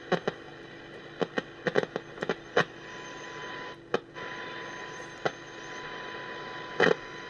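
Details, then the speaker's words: AWA 545P AM radio aligned via AM loop from signal generator, oscillator peaked at 13–20 microvolts: steady test tone with static clicks. Normal AM test signal reception. "Okay, that's oscillator. And this one guys, that's it. It's peaked there now. Now, now that is 13 microvolts, 20 microvolts."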